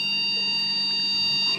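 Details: One long steady high beep at power-on of a mini desktop computer with no display, RAM removed for testing; the board is alive but finds no memory installed.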